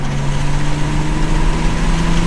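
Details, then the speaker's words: MK5 Toyota Supra with windows down after fitting Armaspeed Windblock side mirrors, at 51–70 mph: steady low road and engine drone with no pulsing; wind goes around the windows instead of into the cabin, buffeting gone, normal cabin wind noise. "Still nothing at 70. Nothing at all. The wind just goes around the windows."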